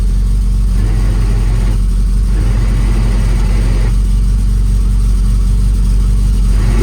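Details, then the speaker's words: Lotus Elan running after a clutch job with new gearbox input shaft seal; steady low drone turning harsh and rough when the clutch pedal is depressed. Source unknown, engine coming back out. "I'm going to say that's a complete and utter disaster. It's making a horrible noise when I disengage the clutch."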